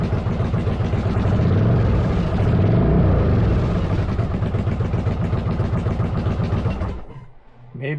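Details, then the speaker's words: 1995 Virago 1100 V-twin idling slightly low and lumpy, still on wrong spark plugs: regular puffing tick about four per second before shutoff; leak at the front exhaust. "got to fix an exhaust leak on the front exhaust"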